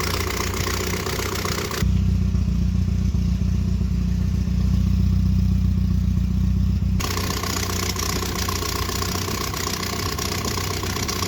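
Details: 1978 Triumph Spitfire 1500, jump-started after trouble starting after two weeks. After idling, a pop on revving, then a loud blatty tractor-like rumble at idle and under revs; it drives normally. Owner suspects an exhaust leak.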